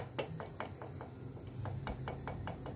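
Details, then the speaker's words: Yamaha F1ZR engine torn down because it ran very rough, piston at 0.50 oversize due to go to 0.75. About a dozen sharp, uneven clacks as the rod is rocked by hand; worn big-end bearing with excess play. "kalau bunyi klok-klok seperti ini ini artinya untuk sebagian stang piston udah kena"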